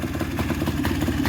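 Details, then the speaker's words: Polaris two-stroke ATV engine (Barbie Jeep build) on its third heat-cycle idle, running premix plus oil injection so double oil, hence very smoky; fast, even popping idle with rattly two-stroke buzz, no misses or knocks: normal idle. "but she's running good got premix and the oil injection so we're running about double what we're going to be that's why it's super Smoky"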